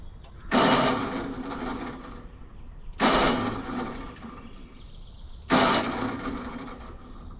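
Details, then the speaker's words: Bomag BW213 compactor after fitting a new alternator: three short starter bursts, each whirring briefly without cranking the engine; starter doesn't always engage, cause not confirmed. "this is another problem we need to address the starter doesn't always engage"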